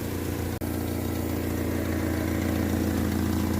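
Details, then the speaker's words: Fiat Fiorino 1.3 8v Fire flex, approx. 2003 or later, running: rapid sharp puffing tick evenly paced with firing at idle; normal exhaust leak, easy to diagnose; separate brake booster vacuum leak also noted. "Vazamento em escape normal, fácil de diagnosticar ele."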